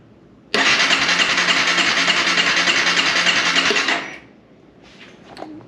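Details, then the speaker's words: 2011 Honda CBR250R with 7,500 miles that sat for a long time, now with a new fuel pump, cleaned tank and fresh gas: it cranks steadily for about three and a half seconds but never fires. Crank no start; owner suspects a clogged injector. "Yeah, it's like it's not getting the fuel. Here the pump kicking on. I think that injector is clogged."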